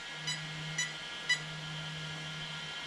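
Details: Arrma Kraton 8S: three short high beeps about half a second apart over a quiet hum from the ESC; the owner suspects the motor broke inside, as the gears are fine.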